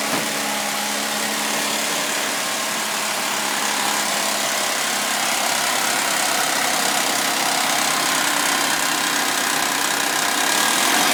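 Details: Suzuki V6 Vitara on a warm start: busy metallic chatter over the idle that stays steady and does not worsen with a rev, if anything quieter; owner suspects timing chain rattle from worn chains and tensioners.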